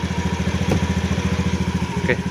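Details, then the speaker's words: Used scooter inspected before purchase, slight throttle, heard a little away from the engine: even, steady idle pulse about fourteen beats a second, no misses or knocks; engine still smooth, faint CVT roller tapping judged normal wear. "Dari suaranya yang terdengar agak jauh dari mesin, sepertinya masih halus."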